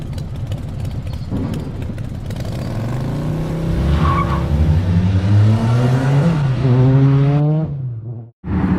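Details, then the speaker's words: Built 2.3L 4G63 Mitsubishi Evo (GSC S3 cams, 2150cc injectors, Garrett turbo, E85, 650hp) after titanium exhaust modification; deep, even exhaust note climbing smoothly with revs then cutting off cleanly, no misses or rattles, seemingly quieter than before; normal running. "kind of sounds a little bit quieter i mean i certainly love especially with the 85 and the cams once it warms up it smooths out a little bit but the butter sounds good"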